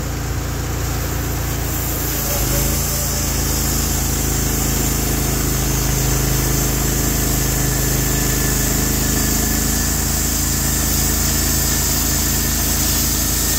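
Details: Norwood HD36v2 bandsaw mill, day two testing new roller guides (ceramics replaced), slabbing big black oak through bark, 1.5-inch slabs, about 24 inches wide: even engine drone pulls down slightly and holds firm once blade is in wood; effortless flat cut, normal load.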